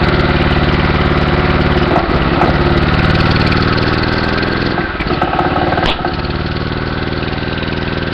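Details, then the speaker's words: Small engine knocking unevenly about four times a second. Knocking worsens badly when intake air is shut off; it runs with a thumb over the intake. "well that's interesting you hear it Knocking real bad when I shut the air off to it I get a lot of knocking"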